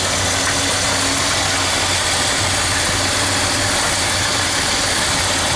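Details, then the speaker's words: 1976 Ford F-250 390 V8 after Holley 6947 carburetor rebuild and fuel pump replacement, idle mixture screws being set by vacuum gauge: steady, even idle with a low regular thrum, no stumbles, misses or hiss; idling normally. "so we're gonna go check our other side and as you can hear this 390 is coming along perfectly"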